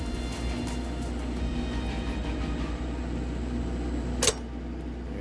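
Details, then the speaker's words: Eagle coach power system with 10 kW diesel generator, auto gen start and Victron Quattro inverters charging lithium: steady generator hum, then one sharp clunk as the transfer switches to charge after the frequency shift; normal switchover. "hopefully now listen for the clunk it's going to switch over after it after it frequency shifts it's going to switch to charge"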